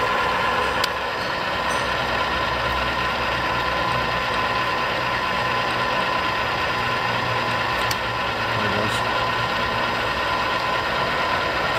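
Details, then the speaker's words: Arboga RLM3508 radial arm drill (40" x 9", 8 spindle speeds 70–1350 RPM, 4 feed rates .004–.016") with power feed running down. Steady gear hum with sharp single clicks seconds apart as the feed gearbox clicks into each range; normal. "I don't know if you guys can hear it, but every time you hit a gear range, it'll click in."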